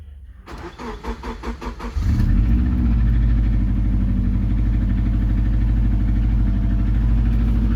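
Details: Subaru EJ20G engine cold start, before engine removal: starter churns about a second and a half, engine catches to a fast cold idle with a quick, steady knock running over it.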